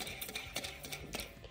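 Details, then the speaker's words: 2007 Chevy LBZ Duramax with a rat-chewed wiring harness, pulley turned by hand during teardown: dry, uneven clicking and gritty scrape instead of quiet spinning; worn pulley bearing, pulley is toast. "is toast. So all the pulleys we've already tested, they are toast."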